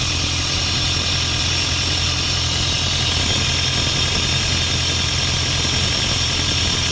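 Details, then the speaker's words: Isuzu 4LE2 diesel air compressor engine that previously would not start, with smoke from the intake suspected at cylinder 4. It now idles smoothly and evenly after repair, a steady low rumble with a hissy top end. "bale Ito okay na umaandar na siya hindi kamukha nung pinuntahan natin ito na hindi talaga siya makuhang umandar"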